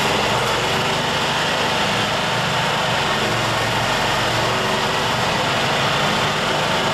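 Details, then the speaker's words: Yamaha G2 golf cart air-cooled single after tune-up (carburetor, air filter, spark plug), fresh premium fuel, cold start with choke at about 35 degrees: high steady buzz, no misses or stumbles; normal cold start idle, first cold start in 6–7 years. "Okay, that's now the first time that's happened in about 6 to 7 years, starting up in the cold. So at least our tune-up did help,"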